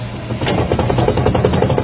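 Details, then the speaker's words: Fiat Palio Weekend Adventure Locker rear suspension, spindle rocked by hand: quick loose clunks from play in the rear spindle pin, plastic bushing and two bearings; causes knock over bumps and cobbles, both sides to be replaced. "Imagina isso daí, né? Com o carro tudo montado, com amortecedor, mola, num piso irregular."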